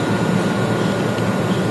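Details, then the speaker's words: CNC machine with DC servo motor on a Centroid Allin1DC control, running during servo PID tuning: steady drone with a faint high whine from meshing drive gears. "but the concern with the gear mess you can you hear a lot of whine yeah and I told him I'd make sure that they were you know filled up a Lube"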